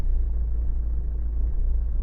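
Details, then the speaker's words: Cold Renault Megane 1.5 dCi diesel idling with a deep, uneven, shaking rumble: a cold misfire, as if running on three cylinders until warm after about 5 minutes. Injector testing showed one injector is faulty. "Yeah, it's shaking a lot. You see, now it starts really misfire."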